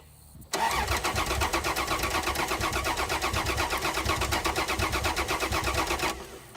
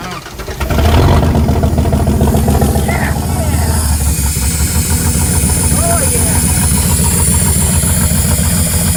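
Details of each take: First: General Dakota sat five years, cranked with five gallons of gas: about six seconds of steady starter cranking with an even chugging beat and no firing. The fuel pump was later removed and brown, contaminated gas came out. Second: General Dakota first start after 5 years sitting, after a fuel pump replacement and about five gallons of fresh gas: the engine catches and settles into a rough but continuous idle with a steady low rumble. Fuel delivery restored, running.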